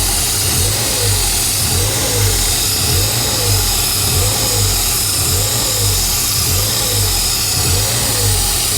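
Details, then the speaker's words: Ford Fiesta ST180, former non-runner: idles far too high with no throttle input, rhythmic surge about every two-thirds of a second and loud air rush; caused by a snapped-off intake manifold pipe fitting creating a big air leak. "uns it's idling massively High I'm not touching the throttle there that's because the inlet manifold broker a bit so engine malfunction it runs"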